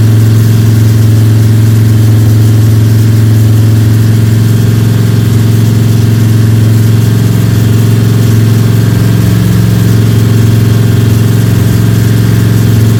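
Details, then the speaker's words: Freshly built Ford 302 Cleveland V8 with Holley Sniper and new electronic distributor, first start, fast idle for cam break-in (~10–15 min), timing around 31°: steady, deep, smooth drone, no ticking or rattles; cam and valvetrain sound healthy, normal high idle. "I'm happy with that. Cam is running, engine sounds sweet. You beauty."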